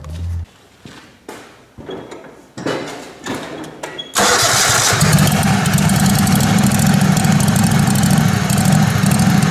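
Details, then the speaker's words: Kohler Command Pro 27 hp V-twin lawn mower, after head gasket repair, muffler baffle drilled out: several cranking bursts, then a loud, raspy, uneven idle with the exhaust wide open, unmuffled. "But it's wide open now. My neighbor's gonna love me. Crank it up and see what it sounds like."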